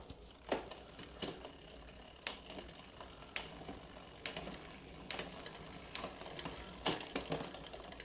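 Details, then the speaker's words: 1989 Cannondale Red Shred with thumb shifters and short-arm rear derailleur: sharp, uneven clicks as the chain drops to the wrong sprocket despite added tension; frayed shift cable stops the derailleur holding gear. "Still it's on this should be on here but it's dropping down to this one. So it needs more tension."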